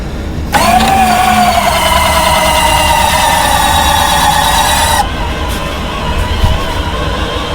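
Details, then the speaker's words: B-29 model right main landing gear retract, reinstalled after repair and lube, likely a loose set screw twisting on the shaft: smooth, steady electric motor whine for about four seconds, stopping cleanly with no racket. "So that noise is gone. The left side's working, the right side's working without any funky racket."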